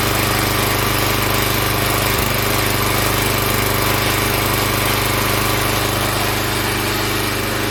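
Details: Log splitter Briggs & Stratton engine 126T02 after repair: carburetor cleaned, speed set to about 3100 rpm spec, valve underneath two turns out from seated. A steady, even high-speed drone with no hunting or surging; running much better.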